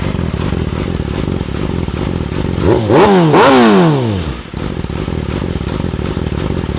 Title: 06 r6 rough idle